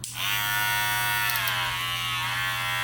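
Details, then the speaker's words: Red Pro clipper, all-plastic, rated 7,300 RPM: steady electric whine sags in pitch about a second then recovers, seeming slower when blade opened; owner suspects weak motor bogging. "And then when it says 7,300 RPM, it's like when you open it, it seems like it gets slower, right?"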